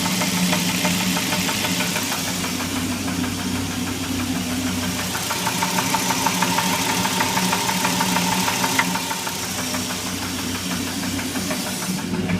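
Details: Dodge SRT10 V10 at steady idle: a sharp, regular metallic tapping about three times a second rides over it; engine knock, cause still unknown.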